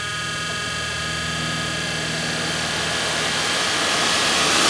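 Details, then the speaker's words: 1983 Mercedes-Benz 240D HVAC blower motor, faulty resistor replaced by a generic DC motor controller wired straight to the battery: steady rushing air and motor hum climbing in pitch as fan speed is raised from very low; normal operation. "and this here is the fan on/off and control switch so as you can see right here it's got very little power"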